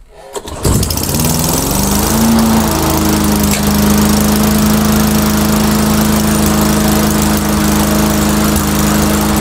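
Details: Old engine on Mastercraft 3-in-1 mower, primed, RPM raised: pull-start catches, settles into steady fairly even drone with mild waver; not running too bad, owner suspects carburetor maybe running rich.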